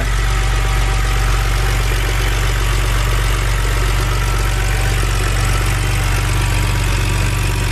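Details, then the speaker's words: BMW N52 inline-six after valve cover and Valvetronic motor gasket replacement, with a little smoke from oil drops on the exhaust: steady, even low hum with no misses, taps or rattles; idles normally. "and since we knew that the engine fired up with no issues then i went ahead and reinstalled everything back to how it should be"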